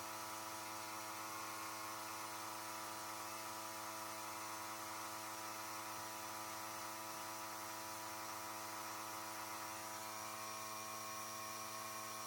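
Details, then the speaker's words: Small compressor blowing air through an unheated Panoramic RV's water lines during winterization, after pressure dropped as the system drained; steady even electric whir, constant pitch, no knocks or surging, normal running while the side shower is opened. "donc pendant que le compresseur continue à pousser de l'air on va venir ouvrir la douchette sur le côté"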